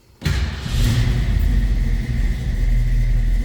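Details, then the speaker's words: 1965 Ford Mustang Fastback 2+2 V8 with mild cam, automatic; catches at once, revs cleanly, then drops into a deep, even burble with lazy lope and low idle; throttle response great; normal cold start and rev. "got a mild cam, it has to. It's got a nice little low idle. Throttle response is great."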